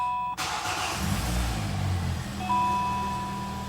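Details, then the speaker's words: Hyundai i40 G4NA, 113,000 km, first start after engine repair for cylinder knock: starter whirr, catches and settles into a steady even idle with no knocks or extraneous noises and no errors; normal idle. "заработал работает ровненько никаких посторонних стуков браков ничего нет ошибок нет"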